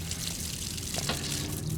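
Steady low hum under gurgling, splashing water flow with no knocking or rattle; transfer pump moving water normally.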